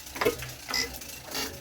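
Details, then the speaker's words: JP2 marine engine, cold in December after three months unused, turned slowly by hand in neutral with compression, gives three sharp dry clacks about half a second apart from a slightly sticking valve; cold oil adds resistance. "Hear them funny little clacks. And that's the valve sticking a little."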